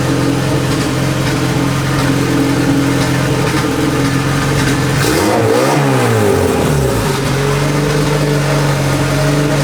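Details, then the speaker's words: Big-turbo Honda Civic driving after fixing an exhaust leak that caused heavy bogging: pulls smoothly, revs drop through a shift and climb cleanly, no popping, bogging or backfire; runs much better. "it was driving so weird with the exhaust leak like bogging like crazy just everything felt weird and sounded bad Everything feels so much better right now just right off the bat"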